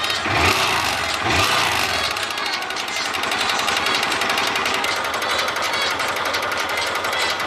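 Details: Honda Titan 150 motorcycle engine at idle: quick sharp metallic ticking rattle over the single; slight play in the connecting rod, a light rod knock.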